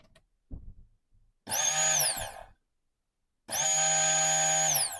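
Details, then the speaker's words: 2008 Fiat 500, new fuel pump powered on the bench with ignition on before installation, replacing a leaking pump: two steady high buzzing runs about a second each, pump healthy. "You can hear the buzzing noise. Then I'm happy with this pump."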